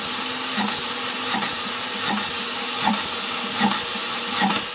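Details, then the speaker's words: Car engine with suspected internal mechanical issues, during compression test on cylinder three (about 90 psi compression): loud steady hiss with rhythmic gurgling about once per second at the cooling system; suspected combustion leak into coolant, possibly head gasket. "actually as we were doing the conversion test for cylinder number three I could hear air escaping into our cooling system here"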